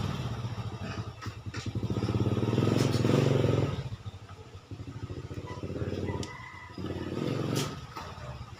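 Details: Suzuki Satria two-stroke with a sluggish clutch: blips up and down with an uneven, rattly buzz that wavers through each rev rise; runs rough, cause unclear.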